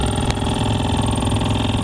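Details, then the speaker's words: 2003 Hummer H2 blower motor after blower motor resistor replacement, key on via jump box: steady rapid pulsing whir at low speed with uneven flutter, owner suspects something loose like a nut in the blower; blower now shuts off with key off. "sounds like there's something in the blower motor to be honest like a nut or something"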